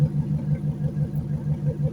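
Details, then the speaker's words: Junked Dodge Dakota parts truck, revived with a cheap fix and its exhaust cut: steady, even idle, smoothed out, no more smoke, no lifter tick, only a light injector patter; normal idle. "It actually sounds really nice. It's smoothed right out. No more smoke. It's that engine. There's not a I don't hear a lifter tick. All I hear are the fuel injectors firing. That is a good running truck."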